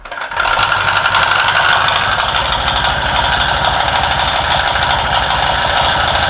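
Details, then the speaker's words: Honda Click version 1 scooter at idle with the dirty CVT cover off: a fast, choppy, helicopter-like flutter. The source is found to be the drive belt slapping heavily. "So, bago ko patagasin pala, gusto ko munang makita ko saan nanggagaling yung ingay. Yung mala helicopter na ingay."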